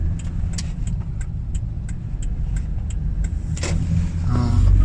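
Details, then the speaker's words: 2008 Toyota Kluger/Highlander driven over bumps after front strut repair, camera in the same cabin spot as the earlier knocking recording: steady low road rumble with a light regular tick, no clunks or knocks; front suspension knock fixed. "right now to confirm the fix guys uh I'm shown 100 percent our problem is now Peaks no more knocking so we've been hitting heaps of bumps guys and we cannot hear any uh knocking noise"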